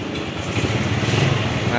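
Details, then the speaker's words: Yamaha Mio scooter after fixing slipping starter: short starter whir grabs, single catches at once and settles to even idle; starter now engages cleanly. "Ini udah jadi sangat mudah sekali nih teman-teman kita starter lagi kita coba ya Nah langsung jadi nih teman-teman"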